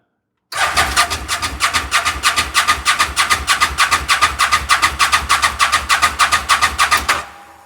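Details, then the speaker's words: Fire-damaged CF Moto Z Force 800 after fuel system priming: starter churns evenly about three turns a second for nearly seven seconds, never catches; cranks but won't start. "All right, maybe I got to give it a little bit of crankage."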